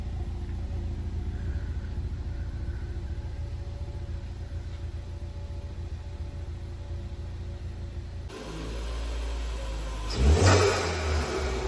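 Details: Ford Focus ST Mk3 estate: steady low idle rumble, then a quick rev blip rising and falling cleanly; sounds healthy.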